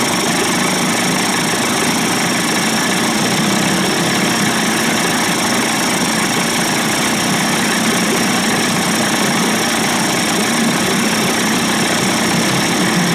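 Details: Johnson/Evinrude 25 to 35 hp two-stroke outboard conversion, idling in a test barrel after low-speed timing sync, fuel pump and bypass cover swap, loose mounting screws tightened; steady, even burble, no misses or surging; running cleanly.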